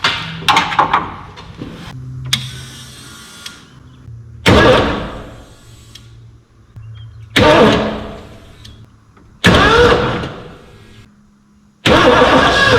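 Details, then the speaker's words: 1989 Ford F250, dead for a decade, new fuel tank with a little gas and new battery: four bursts of starter cranking, each a few seconds, no catch or idle, listening for the fuel pump; cranks but won't start, gas then seen coming up. "We'll put this on we'll see if we hear fuel pump. I'm trying to crank it here. See what happens."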